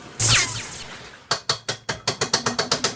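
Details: Washing machine: a burst then a run of sharp ratchet clicks about five per second, speeding up; abnormal noise from the washer, cause unknown.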